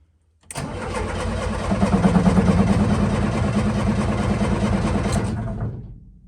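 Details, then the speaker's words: Lada Niva in a snowy garage: a steady starter whirr, about three turns a second, with no firing at all. It cranks but won't start because no fuel is reaching the engine. "Gonna have to get some fuel to it."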